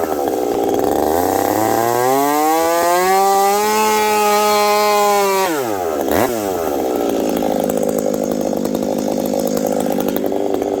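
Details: Husqvarna 372XP chainsaw fitted with a new bolt-on UFO pipe, warmed up at about -30 to -40 °C, cutting frozen ash: revs climb cleanly to a strong, slightly burbling pitch, holding in the cut; healthy four-stroking, rich-running, could be leaned more.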